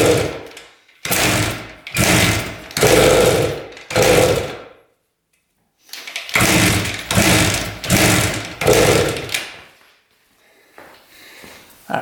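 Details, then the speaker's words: 1973 Harley-Davidson, choked and kick-started: repeated sputtering coughs, about one a second, that die away; fires but won't run. Owner suspects low compression. "She wants to go. I think I realized why there is a nut welded onto the crank. I think that's how they started this thing because it was low compression."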